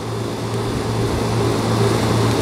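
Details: Old American Standard Allegiance 12 condenser after replacing a bulged, failed 55/5 capacitor: smooth steady electrical hum, even fan whoosh, no rattles or surging. It now runs normally.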